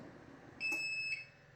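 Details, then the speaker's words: UPS on battery powering a space heater at about 83 watts: single shrill half-second beep repeating, overload alarm because the unit isn't powerful enough. "you can see that it's going to sit there and beep beep and beep it'll drive you crazy sitting there listening to that stupid thing"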